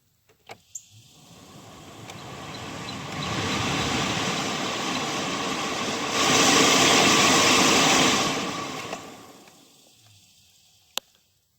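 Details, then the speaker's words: 2012 Chevrolet Sonic blower fan behind the passenger-side dash, after clearing out rag, leaves, sticks and rocks that caused a loud fan noise: click, then an airy rush rising and falling with fan speed, slight vibration, no scraping; much better, normal. "I'll turn the fan on so you can see that fan spin. See, it's got a little bit of vibration still, back and forth, but maybe that's the way it's supposed to be."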